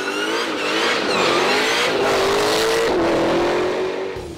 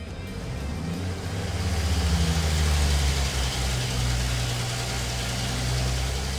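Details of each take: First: 1000 hp Dodge Challenger: strong rev that rises then settles, with a deep, even tone and no rasp, drone or misfire. Surprisingly refined sound for a thousand horsepower; healthy. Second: Ford 300 inline six after sitting 20 years, on dyno pulling alternator, water pump and governor load: loaded drone builds with slight early unevenness that clears up; 86 hp, 228 lb-ft.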